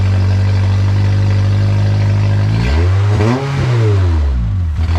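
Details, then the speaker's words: K20-swapped Honda EF sedan with no exhaust, started from the key after finally running: loud steady idle, then a smooth rev up and back down with pitch following throttle; engine runs healthy. "the third time this thing turned on and stayed on so I just want to turn it on for you guys really quickly so you can hear it"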